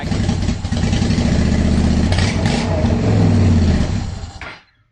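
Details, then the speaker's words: 2010 Honda Shadow Phantom just after fuel pump cleaning and tank reassembly, not yet warmed up, air possibly in the fuel system: uneven, lumpy revs, then the engine fades and dies within a second; stumbling and stalling. "well i thought it was i guess we just let it warm up"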